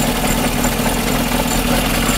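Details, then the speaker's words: Engine of a used car at idle with an uneven, lumpy beat, a faint knock and visible shaking, shown as an example of a worn engine to check for when buying second-hand. "şimdi bu arabanın motoru çalıştırdığımda böyle vuruntuları titremeleri net bir şekilde görebiliyorsunuzdur arkadaşlar işte arada ki fark bu"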